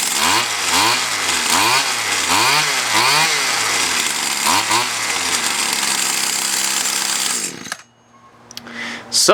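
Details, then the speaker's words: Older Stihl FS76 string trimmer after carburetor high/low adjustment (high was lean, low rich): crisp rev-ups and drops, then clean steady high buzz before shutoff; runs properly, no repair needed. "this is all fixed didn't have to do anything I'm not going to charge a customer anything"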